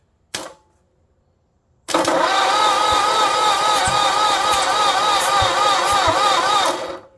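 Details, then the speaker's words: 1948 Ford flathead on an engine stand, freshly assembled, conventional 40-weight oil, spark plugs out: steady starter cranking with an even pulse about four beats a second; compression felt at all cylinders, normal. "Yeah, mine's All right. I got compression too."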